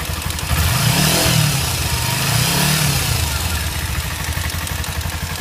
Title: Kawasaki ninja ticking noise